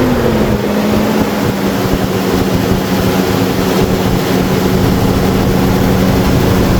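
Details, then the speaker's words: Engine idling after installing a cheap $80 aftermarket carburetor, first run, no fuel filter fitted; steady, even idle with smooth low drone, no misses or knocks, sitting slightly high but running cleanly; normal idle. "idling It's idling really well. Maybe high. Maybe a little high, but Hey, we like high."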